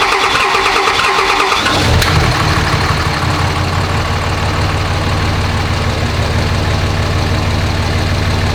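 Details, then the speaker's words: Dodge Ram Cummins 5.9 24v diesel after loose valve bridge, a little smoky from old fuel; starter cranks, catches in about two seconds, steady even idle with no valvetrain ticking heard before: normal start and idle. "well it's a little smoky from all that old fuel in it but it fires up and it sounds okay so i guess i'll take it for a little test drive i don't hear that same ticking that i heard the other day"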